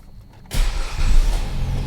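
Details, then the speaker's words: 2010 Chrysler Sebring Touring four-cylinder salvage car, cold start with a jump starter: a short crank, then it catches at once and settles into a steady, even idle with no misses. A normal, healthy cold start. "There it goes. It runs great. It's a cold start."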